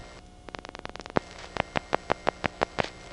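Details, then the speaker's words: GEdney 9 panel telephone exchange in Brooklyn, 1977: the incoming selector going to group seven makes a quick click run, then eight evenly spaced revert pulses, faster than the last one because it pulses every ten terminals; normal. "pulse rate for that group selection is faster than the last one because it's pulsing every ten terminals instead of every twenty five"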